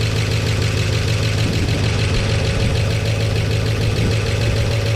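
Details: 1969 Chevy C10 V8 after slightly adjusting ignition timing: steady, even idle with a low unbroken rumble, no knocks or misses, quieter than before, 50 psi oil pressure, minor oil drip at the sender; healthy.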